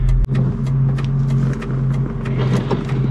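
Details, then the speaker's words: 1997 Ford Mustang Cobra SN95, hand-built engine, five-speed manual: after a downshift the shifter won't move or engage any gear and the clutch seems stuck, with a loud drone and irregular metallic rattle; suspected blown transmission or failed synchro, unconfirmed. "i can't pull the clutch out because it's like stuck in something and it's making this rattling sound"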